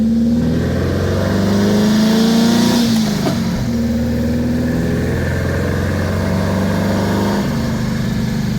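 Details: 1977 VW Brasília 1600 after cylinder-head repair, Solex 32 carburetor with 28 mm venturi on old 34 mm base, stock cam and compression, owner driving: pulls hard with strong rising hum, eases off cleanly with no knocks or misfires; normal acceleration.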